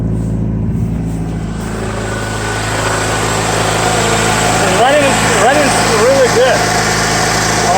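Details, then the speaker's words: Toyota RAV4, 5-speed manual, 499,191 km, sat unused since April 2019 after clutch failure, first start: steady, even idle on all cylinders with some smoke, no misses or knocks; normal idle. "Yeah, good idles. Oh gosh, just no problem."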